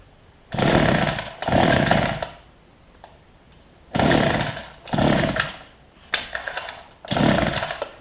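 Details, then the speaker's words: Older Homelite two-stroke hedge trimmer, new fuel lines and primer bulb: revs in short bursts that sag and die back unevenly; rough running, owner suspects fuel delivery, low and high speed jets being adjusted. "I think I just got just the low speed in the high speed so I think we're gonna be alright"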